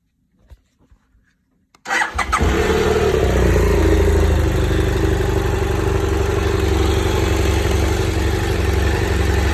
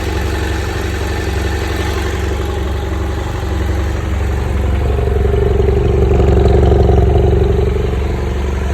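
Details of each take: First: BMW F800GS motorcycle, cold engine: starter catches and settles straight into a steady, even idle with a regular beat and no odd noises; noise reportedly only appears when hot. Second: BMW F800GS twin, hot engine (normal when cold): steady low-beat idle with a faint rough undertone that swells as revs rise slightly, an abnormal engine noise only when warm.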